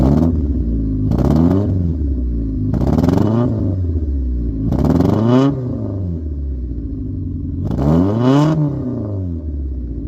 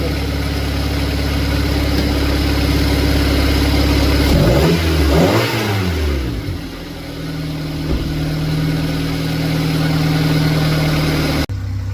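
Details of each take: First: Honda recorded at the exhaust, four revs: uneven fluttering at the bottom of each blip smoothing at higher revs; low-rpm misfire stutter persists after plugs, injectors and distributor were fixed, owner now suspects fuel injectors or fuel filter. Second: Honda with previous low-rpm flutter, after injector work: blips up smoothly and returns to steady even idle, no flutter or misfire; running healthy.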